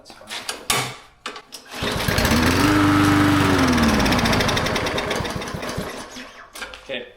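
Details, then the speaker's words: Used lawn mower with fresh, very full oil and good gas, primed and started: catches, surges unevenly for a couple of seconds, then sags and dies; owner suspects the carburetor needs cleaning. "And we're going to give her a call. I think the carb needs to be cleaned."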